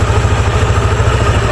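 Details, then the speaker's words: Yamaha NMAX scooter idling after a DIY O-ring replacement in the female torque drive (Suntal assembly), where a suspected busted O-ring had leaked oil into the CVT: a steady, even low putter with no rattle or grinding, quiet and healthy. "So yan, napakatahimik niya. At wala nang ingay."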